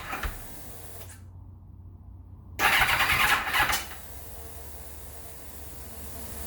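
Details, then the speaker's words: 1991 Kawasaki ZXR750 turbo build on a standalone ECU, first start attempt after reconnecting an unplugged ignition connector: short harsh crank burst stopping abruptly, kicking back on the starter, no start; owner suspects earlier crank trigger signal interference, unconfirmed. "hmm okay something not quite right there it's kicking back on the starter motor"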